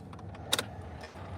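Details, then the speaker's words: 2016 Isuzu NPR with a new starter whose terminals were crossed while jumping it from underneath: two sharp solid clicks a second apart and no cranking; solenoid clicks but starter motor doesn't spin. "There's no spin in the starter. That's what's so crazy."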